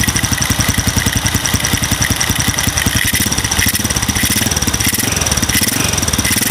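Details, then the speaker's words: Motorcycle with RVN 53mm cylinder block, RVN Pro racing camshaft and valve springs, idling with fast light ticking like valve clearance noise but milder, even with valves adjusted tight; not cam chain noise. Cause suspected, not confirmed. "coba coba tak bikin rapat pun dia masih ada suara kayak trik trik trik trik trik trikk trik kayak suara klep setelan klep tapi ya enggak separah kalau setelan klep kendor"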